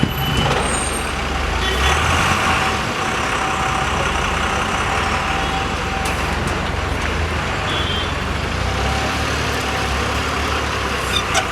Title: Why AC bus & AC Tempo traveler make this hissing noise | kindly observe & comment your opinion